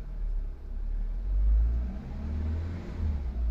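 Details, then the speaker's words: Hyundai i10 after a fix for rpm fluctuating low and high and weak pickup, started in neutral. A low engine rumble swells with a brief rev, then settles back to a steady idle, with rpm holding in one place. "ये देखो दोस्तों, RPM बिल्कुल बेहतरीन, एक ही जगह टिके हुए।"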